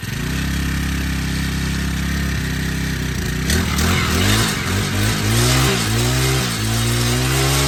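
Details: Honda Harmony FG100 small tiller, carburetor fixed after sitting: single-cylinder settles into a steady, even putter, then picks up and drops back cleanly as the throttle moves; normal running.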